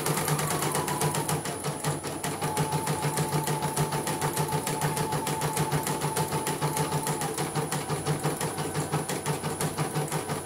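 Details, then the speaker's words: CNY M19 embroidery machine, previously totally dead or only blinking, now running after repair. Fast, even stitching clatter with a smooth motor tone and normal thread pull; the fault was a shorted dynamo (motor). "Oke, sudah tidak bisa ya, kita akan coba jalankan kembali. Tumpuk aja lah, nggak apa-apa. Oke, tarikan normal, benang tidak tersendat-sendat."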